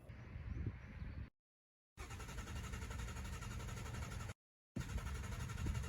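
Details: 2017 Mustang GT V8 with MSD two-step PN 87311, ground-activated via clutch switch wires: rough, lumpy held rev with no sharp limiter cut; launch limiter not holding revs, faulty MSD module suspected.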